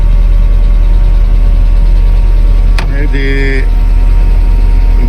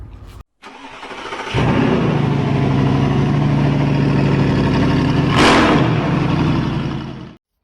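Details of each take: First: 1995 Mercedes E220 2.2 W124 Cabrio, once a no-start with immobiliser and central locking faults and a key to synchronise. It runs a steady, even low idle with no misses or knocks, a brief chime in the middle, and sounds smooth. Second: 1995 Mercedes E220 2.2 W124 Cabriolet with an immobiliser and remote central locking fault (remote won't lock or unlock): the starter cranks at a steady four beats per second for six seconds but the engine never catches. Crank, no start, immobiliser suspected.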